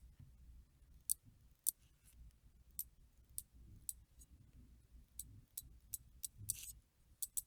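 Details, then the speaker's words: Chinese screw-in Shimano 7-speed bicycle freewheel after full teardown, lube and reassembly, turned slowly by hand: slow, separate crisp ticks at an uneven pace, each pawl snapping cleanly; smooth, healthy freewheel. "it's very nice very smooth filling and the clicks also are very very cool to hear"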